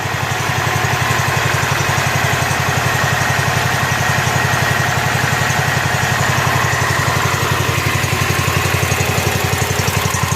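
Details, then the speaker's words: Rebuilt Kohler K241 10 hp single-cylinder from a John Deere 210 garden tractor, muffler hung on with wire, fed by tube in gas can: even, steady idle thump, no misses or knocks; normal idle before idle mixture screw adjustment. "I hung the muffler on with a piece of wire so I could run it without being so obnoxious ly noisy"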